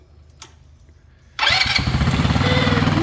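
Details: Tomberlin Crossfire 150R buggy, first start after restoration, with a new coil and a slide throttle kit on the Nibbi carb (mixture screw 2.5 turns out), on a jump pack. It is quiet, then catches abruptly into a fast, busy, slightly uneven idle; it starts and runs fine.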